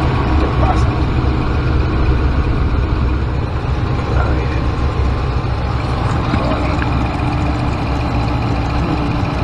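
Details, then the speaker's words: 2014 Dodge Ram, code P0207 cylinder 7 injector circuit open: heavy idle with uneven low lope and occasional stumble; the injector gets its pulse but no 12 V supply, so that cylinder misfires. "Ver, aquí hay un pulso. Aquí hay otro pulso. Lo que no hay son 12 V. Eso es lo que no tiene el inyector. 12 V."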